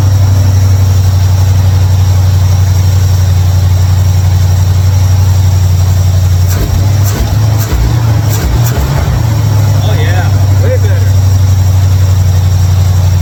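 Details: 1955 Chevrolet Bel Air carbureted after adjusting mixture screws; deep, steady low rumble with no misses or hunting, brief handling clatter, idling way better.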